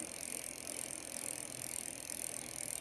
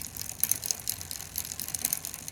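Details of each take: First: Bicycle rear derailleur after turning the barrel adjuster to move it out into line with the cassette cogs: drivetrain spins with a soft even whir, the earlier clicking gone. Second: Bicycle rear derailleur sitting slightly to the right of the cassette cogs: quick, uneven light clicks while the pedals turn; the fix is turning the barrel adjuster to align it with the cogs.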